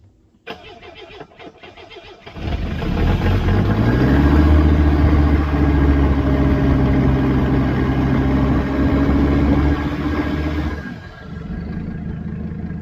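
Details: Mercedes OM617 diesel running on waste motor oil, with injectors 300,000 miles overdue for replacement, started on starting fluid. It cranks, catches and settles into a lumpy, uneven beat around 220 a minute with blue-white smoke. It runs rough from fouled injectors, before injector and glow plug replacement.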